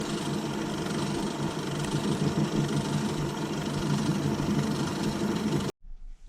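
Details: Mini lathe gearbox: busy, uneven rattle and chatter over the running hum, worsening over time; caused by a worn brass input shaft bush, and replacing the bush markedly reduces the clatter.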